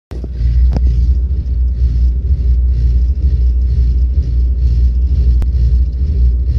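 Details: Volvo 8700 bus with ZF Ecomat automatic won't engage neutral at idle: deep, labored diesel rumble that sags and pulses, almost stalling. Owner says that when driving uphill the Ecomat doesn't cooperate with the engine, leaving RPM too low.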